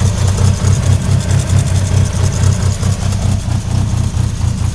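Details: 1998 Mitsubishi Eclipse RS at idle; dull low knock about one and a half per second, not quite even, under the engine note; owner suspects it comes from the transmission; knocking noise, cause not confirmed.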